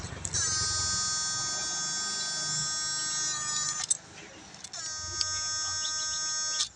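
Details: GM8999 power inverter repaired for low output and frequent switch failure, with its 2 µF capacitor replaced by the original-design 104 (0.1 µF): two bursts of a steady high-pitched whine, lighter than the harsh tone before; normal inverter hum, output slightly higher under load.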